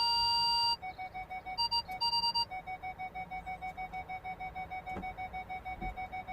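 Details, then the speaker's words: Ford Galaxy front parking buzzer after repairing the faulty speaker (fault B1B53): clear mid-pitched beeps pulse rapidly, rhythm shifting as someone passes in front of the sensors; working properly after the fix. "Hold on, just let me pass in front of the sensors so you can hear it beeping differently."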